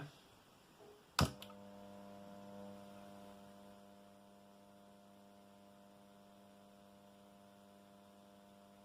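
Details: Condor RM820S radio cassette player, restored, first switch-on: power-switch click, then a steady, buzzy, low mains hum of fixed pitch.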